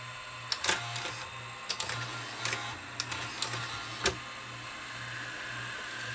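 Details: Toshiba Betamax VCR, about 40 years old, after a glued repair: reverse search with steady low motor hum and a few light clicks as tape winds back; transport runs evenly, healthy.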